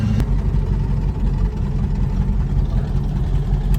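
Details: 1969 Chevelle V8 with twin turbo and FiTech fuel injection after a hard boost run with oil over windshield and a fireball: rough, lumpy idle with uneven knock under deep rumble; spark plug blown out of the head.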